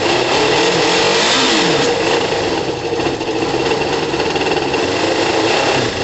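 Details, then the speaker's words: Kawasaki ZL600 cruiser after valve clearance adjustment, rebuilt and balanced carbs and new coils, warming up on reserve fuel: even, quiet idle with steady beat, no exhaust hiss; engine healthy. "uh the bike needs a couple of minutes to warm up it's uh significantly quiet ear guys you can't hear any air escaping from the exhaust it's great news you can just hear the engine the engine sounds great"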